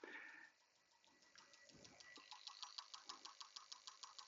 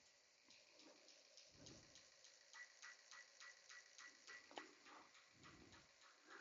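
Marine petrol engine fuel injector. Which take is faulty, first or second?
second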